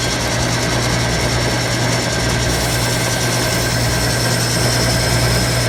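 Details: Antique early Wayne 40 gas pump, long sitting, switched on with its on-off lever: steady, even motor drone with a firm low hum, no knocks or rubbing; sounds factory-fresh. Normal running.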